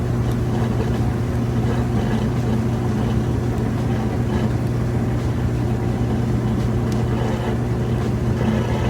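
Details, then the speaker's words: Kenmore stacked washer-dryer laundry center, washer in final spin near full speed with drain still running: even, steady hum and low drone, no knocking or banging, fast, smooth and balanced spin; normal spin cycle. "You can still hear the drain running, but it's got a nice fast spin, smooth and balanced."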